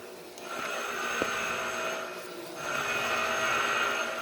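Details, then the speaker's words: Mazda FE engine in a Yale forklift, no start, low compression on multiple cylinders: engine off during a leak-down test, 100% leakage on cylinder 1. A steady airy hiss escapes through the intake, which smoke confirms; carbon on the intake valve is suspected to prevent seating. "100% leakage. So it proves what we saw on the oscilloscope. Right now, I think I'm hearing it from the intake side."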